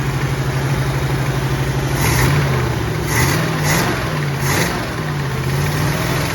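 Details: 1967 Mustang V8 fired up again: an even, steady low rumble with a light throttle blip and no knocks or misses; good oil pressure, healthy idle.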